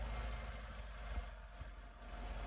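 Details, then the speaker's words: 2010 Land Rover LR4 5.0 V8 after TCM and valve body replacement for P0915, in off-road height; low even idle hum, no ticking or rattle; timing chains inspected and look good; engine running really good. "So you can hear it's running really good. Sounds good. It's dark. Engine sounds really good."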